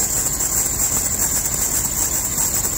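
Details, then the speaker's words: Cheaper serpentine belt with new idler pulleys squeals once winter arrives. The belt has hardened and slips on the pulleys, with no cracks visible on either side. A steady high-pitched squeal is held over the idling engine. Serpentine belt squeal. "the Bell started to squeak the belt is squeaking because it's sleeping"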